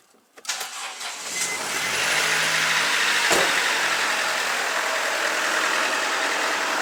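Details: Mercedes Sprinter 2.1 diesel after an exhaust leak repair with the muffler reinstalled. It cranks, catches and settles into an even idle with no puffing, ticking or hiss from the exhaust, running smooth and steady with no leaks or smells.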